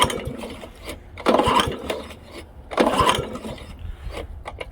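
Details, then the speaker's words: Old Honda HRA215 SX self-propelled mower with blade clutch, sat in a shed for seasons, likely stale gas: two sticky recoil pulls, each a short rattling whir with no firing; cranking no-start. "The recoil is a little sticky. That's an indication this has been sitting in someone's shed for a little while. So it doesn't really want to do anything."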